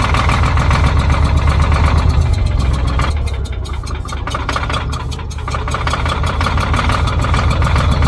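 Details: Old Caterpillar D6 dozer diesel on charged batteries: long run of even cranking beats near four per second, dipping and recovering but never firing; no fuel reaching it, fuel shutoff closed.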